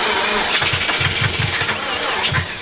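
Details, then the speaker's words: 1995 Nissan 240SX S14 with newly installed starter and a low battery on a jump pack: the starter churns steadily at about five pulses a second but the engine never fires. A fuel issue is suspected, not confirmed. "Uh-oh. Sounds like a fuel issue, maybe."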